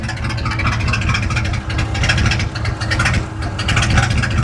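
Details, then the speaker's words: Ford Galaxie V8 idling despite a replaced coil and other parts: lumpy idle with random irregular stumbles roughly every second; a very random intermittent misfire, cause not yet found. "So, you hear the like intermittent running leg. It has a distinct like every other I don't even know how to describe it. It's the most random intermittent miss I've ever heard in my life."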